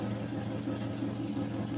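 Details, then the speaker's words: Car idling after welding repair of corroded, damaged muffler, during leak test: smooth, even low idle with steady rumble, no puffing or ticking from exhaust; normal idle. "ya ya kita tes kita hidupkan mesin ya teman-teman ya kita hidupkan"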